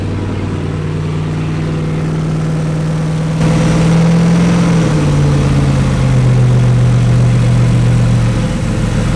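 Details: Wrecked C6 Corvette Z06 V8 with Texas Speed heads and cam: the engine catches and settles into a steady, even low idle that dips slightly as it drops back. It finally runs. Normal running.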